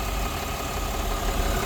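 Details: Diesel truck idling after the bottom radiator hose was refitted and the coolant refilled. Coolant is circulating. Steady, even idle with a smooth low rumble and no knocking or misses; healthy.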